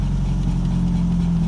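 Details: VW Gol G2 idle: steady low idle that climbs and holds higher as the brake pedal is pumped, revs rising nearly 500 rpm, a vacuum leak from a faulty brake servo (hidrovácuo) booster.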